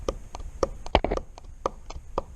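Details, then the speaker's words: 1989 Kawasaki KX250 two-stroke, rod rocked up and down by hand giving dull irregular thuds; worn big-end bearing and pin play, ground-up metal found, rod and bearings being replaced. "hear that thud it's actually the rod moving up and down not left and right but up and down"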